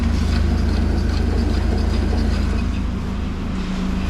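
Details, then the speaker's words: Volvo driving, heard from inside the cabin: steady low droning rumble; wheels make no unusual noise, owners suspect worn driveshaft center support bearing, nothing serious. "Se on varmaan tukilaakeri. Tukilaakeri meillä jollottaa. Me ei mitään muuta vikaa keksi."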